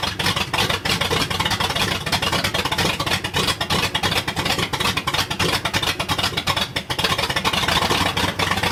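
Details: 1979 Ford F-250, brand-new 351M V8 first start: runs loud and ragged with uneven choppy beat and much hiss; owner says ignition timing still not right and carb was gummed from not being cleaned well enough before storage.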